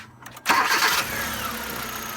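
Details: 2015 Accent after repair of a hard-start fault traced to spark power not fed directly from the fuse box: short crank, catches at once, settles to a steady even idle; normal quick start.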